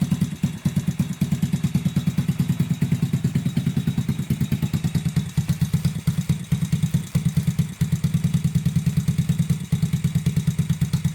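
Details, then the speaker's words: Honda Grom clone single-cylinder after valve adjustment, first proper start: steady even putter about three pulses a second, no ticking, misses or exhaust leak; healthy idle, idle turned down slightly from high. "me feel for an exhaust leak out here. I really don't feel an exhaust leak. That was another concern I had. This is awesome. I'm very happy about this right now."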